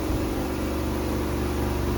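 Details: Twin-tub washing machine, formerly with dead wash tub and slow spin tub, after repairs including capacitor replacement, spin-dry test: steady, even low hum at constant pitch, no knocks or scraping; spin motor healthy.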